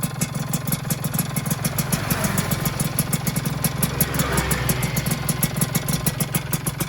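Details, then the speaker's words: Rebuilt two-stroke engine, first run, piston slightly undersized with deliberately loose clearance, before warm-up: quick light ticking about three times a second over idle; piston slap, hoped to quiet as piston expands. "Nah jadi ini agak sedikit ngelitik ya, depannya agak sedikit ngelitik teman-teman."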